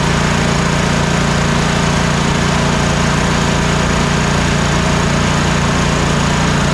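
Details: Troy-Bilt Mustang RZT zero-turn mower V-twin after replacing the failed ignition coil: steady, even beat at about three firings a second, both cylinders now working with no skips; running healthy.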